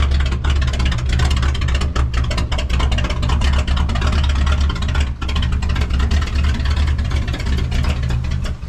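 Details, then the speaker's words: Cummins diesel newly installed in the 3+3 build, straight-piped; deep, loud, even rumble through open pipes, steady beat with no knocks or misses; normal healthy running. "That sounds so good. No. Oh, I was going to leave it straight piped."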